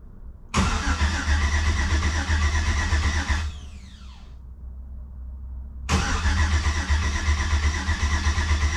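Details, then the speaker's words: Jeep TJ with a 5.3 V8 swap, first fire-up after pre-oiling, in park without rear driveshaft: starter cranks steadily about four turns a second in repeated attempts but the engine never catches, no fuel heard; crank-no-start, suspected fuel line or fitting problem. "Let's see what this does. Anything? We get anything? Oh, we got crankies. I don't hear fuel."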